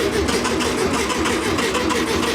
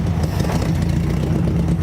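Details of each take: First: Barn-find VW Beetle, sat for decades, first start attempt with sloppy ignition switch and a suspect green wire to the distributor: fast even starter churn for five seconds with no firing; no spark, cranks but won't start. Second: Abandoned air-cooled VW Beetle barn find, parked for decades, on its first start with a fresh battery: a steady, even chug with no knocking or misses, a little smoke, and it sounds good.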